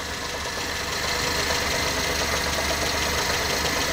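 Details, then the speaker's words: Truck just fitted with a new radiator and reworked wiring, check EGR light on, battery possibly too low for the distributor to fire properly: lumpy, uneven idle with a loping beat about three times a second, as if missing a cylinder. Rough idle; cause suspected. "it sure sounds like we're missing a cylinder that was weird something's going on"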